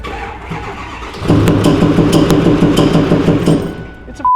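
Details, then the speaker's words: 6.4L Powerstroke diesel, about 50k miles after a high-end rebuild and running badly: right after firing, a hard rhythmic banging about three times a second over the diesel rattle, also heard through the intake; a lost rocker arm or failed lifter roller. "I haven't even heard it. I started it up out there and went, "Well, that lost a rocker arm.""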